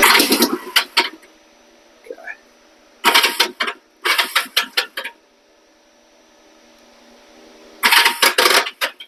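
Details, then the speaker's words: 1973 Honda CL350 cranking with a failing starter clutch on the flywheel behind the side cover: short bursts of harsh metallic rattling, just spinning and grabbing a little without starting. Worn starter clutch springs; the starter clutch is to be replaced. "it's just spinning away it's grabbing the flywheel a little bit and wanting to start it but it's just not starting it"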